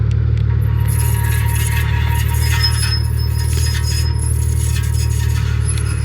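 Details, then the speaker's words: Ferrari 355 with carbon ceramic brakes, coasting down a driveway: harsh steady scraping with metallic scratches over low rumble; owner believes a rock was stuck in the brake dust shield, rotor looked fine. "that sounded horrible I was lowkey scared I was like cutting into the rotor or something that was a terrible sound"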